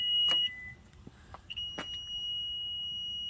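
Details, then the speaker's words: Toyota Venza power liftgate, close button pressed: a brief high beep, then a long steady high-pitched warning tone as the hatch refuses to move. It opens fine by button; cause unknown, closed manually. "all right it's not happy but i think i opened it manually last time so let's just close it manually"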